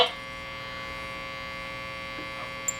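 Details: Marconi 238 tube radio after replacing all paper capacitors, testing an old used tube: a steady low buzzing hum under the hiss between stations; cause unconfirmed, a weak 6BE6 tube is suspected.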